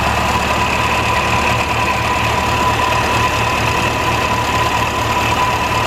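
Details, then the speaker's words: 1949 Ferguson TO-20 tractor, Continental Z120 four-cylinder, revived after sitting an estimated 15–30 years, run briefly without coolant: rough, uneven idle with steady rumble and faint whirring; generator bearings suspected bad. "yeah that is fantastic wow sounds like the generator bearings are really bad though that sounded pretty rough"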